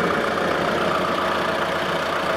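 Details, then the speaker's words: 2013 Mitsubishi Grandis GLS 2.4, transverse engine, AC on, bonnet open: smooth even idle with a steady hum, no stumble or misfire; normal healthy idle. "nah seperti itu kondisi mesinnya nakal kita dengar mesinnya coba didengar ada pincang dak"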